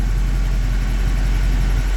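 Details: 1965 Mustang V8 among its first runs on a new Holley Sniper EFI and HyperSpark ignition, idling: low, steady, even burble without misfire or hunting; Sniper working well, air-fuel ratio reads perfect, needing only a little fine tuning.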